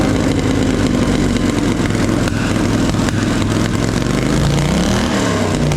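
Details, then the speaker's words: Polaris Sportsman 850 XP quad, hard-worked bull catcher sat for a couple of years, parked up for pumping oil at the engine breather; first start on jump pack, old fuel: uneven lumpy running with irregular stumbles and popping, shooting flames and misfiring; owner suspects old fuel. "it's running really rough it's shooting flames out the exhaust and sort of misfiring and stuff so it's probably got really old fuel in it as well"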